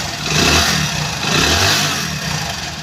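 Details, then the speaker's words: Hero Splendor Plus 2019 motorcycle after half-engine rebuild with piston and valve work for piston noise: engine rises smoothly through two revs and settles, even exhaust note, no knock, sounds like new; normal revving. "तो आप यहां पर जो इसका sound है व सुन सकते हो एकदम बाइक में है जो न्यू जैसा साउंड इंक्रीज हो रहा"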